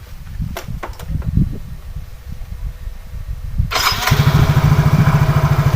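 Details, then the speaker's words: Yamaha Mio-family injected scooter after repair: fuel wasn't reaching the injector and water was found in the tank, both fixed. A few cranking attempts, then it catches and settles into a steady, even idle. Hard starting and sputtering are gone. "semuanya aman dan tidak ada susah hidup udah hilang dan berebut hilang"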